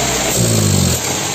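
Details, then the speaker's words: VW Passat B3 single-point injection (mono-injection) idling: the note suddenly changes and sags, running rough toward a stall, from an air leak at the worn lower gasket under the injector unit, which needs replacing. "Вау! Звук, слышите, какой сразу изменяется? Подсос воздуха и работа двигателя сразу. Он начинает глохнуть."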